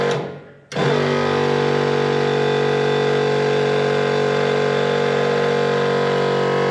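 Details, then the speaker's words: Air-suspension compressor on a chopped, bagged, LS-powered 1940 Chevy coupe: quiet at first switch-on, then a steady rattly drone sets in; something loose vibrating suspected, cause unconfirmed. "see when I first unplug it or when I first plug it in it sounds nice and quiet and then that noise goes there it goes"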